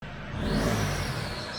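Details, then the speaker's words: SsangYong Rexton Sports Khan with intake hose blown off: engine revs with loud airy rush rising and fading with revs; boost leak, weak acceleration below 2000 rpm. "들리실까요? 바람 빠진 소리 엄청나죠?"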